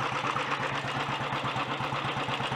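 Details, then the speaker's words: Early Redditch Royal Enfield 350 Bullet single after unblocking Concentric carburettor pilot jet and new oil pumps, ignition slightly retarded: even thump about five per second with light gear-train chatter to dynamo and magneto, no knock; healthy idle. "That's sounding alright. Most of that noise is from the gear train actually up to the dynamo and the magneto. The engine itself isn't clattery or knocky."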